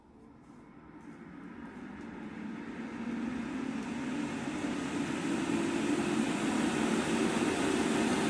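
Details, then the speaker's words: Fresh Ventilation inline centrifugal fan with an AC motor at 100% speed, sounding louder at first because it moves more air; smooth rushing air swelling as it spins up, no whine or rattle. Normal running at full speed. "So that's the AC motor running at 100% speed. So when you plug them in side by side by like this, it actually sounds a lot louder."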